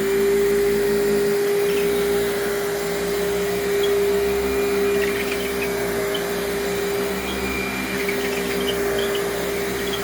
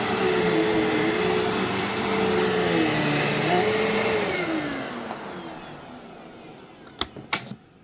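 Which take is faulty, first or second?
first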